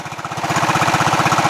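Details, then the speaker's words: Craftsman LT1000 lawn tractor single-cylinder engine idling after valve adjustment, carburetor adjustment untouched: steady putter about fifteen pulses a second, even, no hunting or surging; healthy idle. "is idle it sounds great no surging that's it that's it"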